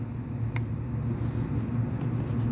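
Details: Ford engine idling that sounds like a misfire even after new spark plugs, ignition coil and wires: low, uneven, lumpy stumbling rumble, actually a vacuum leak from the rear intake gasket.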